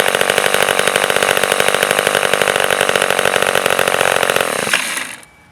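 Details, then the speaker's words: Vintage Sears Craftsman 2.1 chainsaw (Poulan 25DA): crisp, even two-stroke buzz holding steady with no misses or surging, then a clean shutdown. Runs healthy. "This one's a little bit older vintage model, but it runs and idles great."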